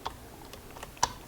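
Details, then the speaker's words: Honda Odyssey power window with the master switch ground disconnected: sharp clicks but no motor hum and no window movement. The relay is not energized, pointing to a faulty master switch. "you hear the click but the window doesn't go up and down"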